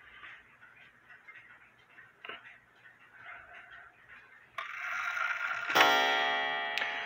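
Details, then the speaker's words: Mechanical clock movement as hands are turned: soft ticking, a click at the nine, another click near eleven, then mechanism release and ringing as the clock enters warning before striking; hands should not be turned backwards then. "you're going to hear a click at the nine then you're going to hear another click and that's when the clock is now in warning"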